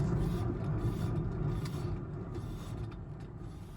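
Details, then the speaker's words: 2012 Ford Focus 5-speed, rear wheel lifted and spun on the side the computer threw a code for: low rumbling growl with a rough rhythmic pulse, about four a second, fading as it coasts; the wheel bearing is worn out. "Let's do it again for the people in the back. Just make sure you can hear it. Yep, that thing's cooked."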